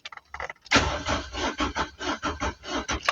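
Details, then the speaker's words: 2017 car, crank no start: starter churns in quick steady pulses for about three seconds without catching; faulty fuel pump relay to be replaced. "There's nothing. So, which means our our relay is not working. So, we're going to buy a new relay and replace it and then see how it's going to it's going to be."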